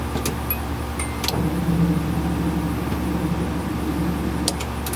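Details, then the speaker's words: Nissan 240SX being revived, fuel pump heard after replacing missing under-hood fuel pump fuse: steady low electric hum under a few light clicks, pump sounds long unused but priming; normal fuel pump priming, fuel reaching pump. "hope you guys could hear that because that is a great sign that means we're getting fuel to the fuel pump"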